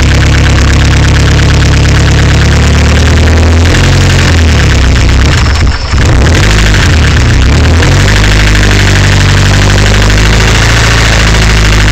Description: ca18det rattle noise. not sure what is making this noise.